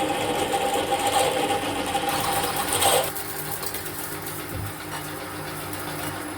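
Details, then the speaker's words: Radius dresser part machining, loud rough rattling chatter about three seconds then easing; harsh cutting noise, tool had been sharpened, which is suspected as the cause. "Well, that sounded horrible. And if you're thinking it needs a sharpen, I did, and that's probably why it sounds horrible."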